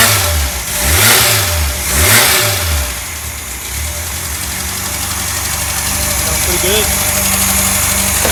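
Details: Freshly rebuilt 1600 air-cooled flat-four for a 1965 VW Beetle, timing set, choke working, a little fuel hungry: two quick revs rising and falling smoothly, then an even, settled idle with no knocks or misses; normal running and revving.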